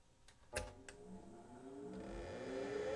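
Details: PDP-11/73 with a real SCSI hard disk powered from the box's power supply: a couple of sharp clicks, then a smooth whir climbing in pitch as the platters spin up; sounds like normal startup, though the controller scan later fails to find the drive.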